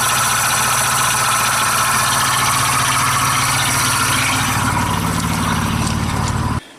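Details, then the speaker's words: 1999 Dodge Dakota 3.9L V6 Magnum, engine running: steady faint whine and gritty hiss from the belt drive traced to the idler pulley, whose bearings are shot; belt had been tracking back and forth on the water pump. Worn idler pulley bearing. "the bearings inside this pulley are shot so we're gonna replace that today"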